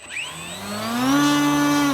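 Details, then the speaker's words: HobbyZone Carbon Cub S 2 1.3m RC plane on 3S smart pack, after prop replaced and reseated: clean whine climbs smoothly to steady high pitch, holds, winds down, no buzz or wobble; sounds better than before. "Sounds a lot better than before. Sounds good."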